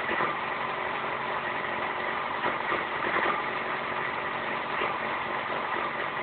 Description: My FZ6 is having problems idling and moving around at low engine speed (less than 3000 rpm). Does anyone know a fix?